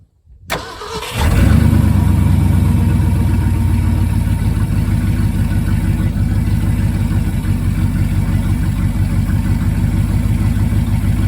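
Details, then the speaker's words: 1974 Ford F-350 grain truck, 360 FE V8, about 42,000 miles, sat a dozen years, carburetor rebuilt: cranks briefly, catches, settles into a steady even rumble with no misfire or knock; fuel reaching accelerator pump. "Listen for accelerator pump. Oh. Yeah. She's got fuel."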